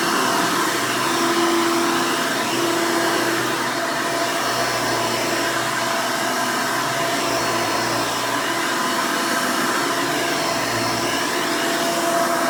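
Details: 1992 Hoover Elite II Total System Performance 650 U4689-910 upright vacuum, motor untouched since purchase: loud, steady airy whine with even motor hum, no rattles or surging; owner says it runs smooth, normal running.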